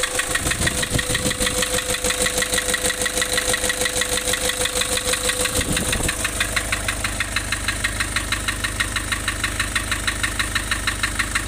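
Uneven diesel idle with a steady pulsing beat of about three per second and a choppy rhythm, a rough-running van diesel. Cause suspected, not confirmed.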